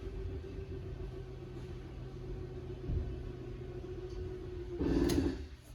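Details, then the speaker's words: 2024 Forest River Wildwood 31KQBTS travel trailer rear slide-out extending: low steady motor hum, then a short burst of clicking signalling full extension; normal slide-out motor operation. "Hear the clicking so you know it's at its full extension."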